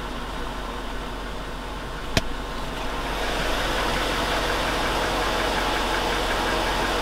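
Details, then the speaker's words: 2002 Chevy Avalanche 5.3L V8, idling in Drive: light, fairly regular ticking about four per second over a steady idle; engine ticking, and the owner suspects lifters but has doubted piston slap; cause unconfirmed. "I still think it it's lifters in"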